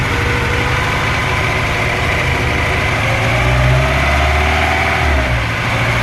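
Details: Faint repeating knock, about four per second, over a rough idle on a VAZ-2103 engine, rising slightly with revs; first taken for a loose valve, but teardown showed another cause.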